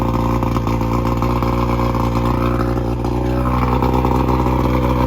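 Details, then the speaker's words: Boat engine bought in a budget boat challenge, carburetors rebuilt: loud, deep, steady burble at an even idle without misses or clatter; runs real good, though one listener thinks maybe 5 of 6 cylinders fire. "Don't start this baby up right now. This Oh, is stiff, dude. Yeah, sounds like it runs real good."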